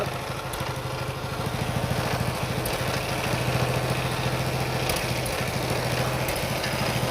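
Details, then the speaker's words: Single-cylinder Briggs & Stratton Intek race mower engine running after carburettor work: a fast, loose, crackly chuff with a light knock on top, heard only on throttle. Owner suspects an exhaust leak but is unsure. Engine knock. "Definitely has an exhaust leak, I think, too. But yeah, it sounds a little knocky."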